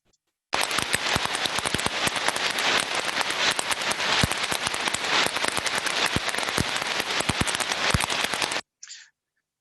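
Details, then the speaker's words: Ultrasound heterodyned recording of idler bearing number three: harsh crackling hiss with frequent sharp irregular clicks from rolling elements striking a defect; somewhat worse than bearing number two. "as we can hear from this one bearing number three was actually a little bit more worse than bearing number two"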